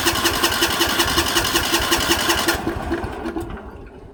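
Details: 1960s/1970s Sears 10/6 lawn tractor, first start attempt after purchase: even starter cranking about two and a half turns a second, no firing, winds down; spark plug wire was not fully seated.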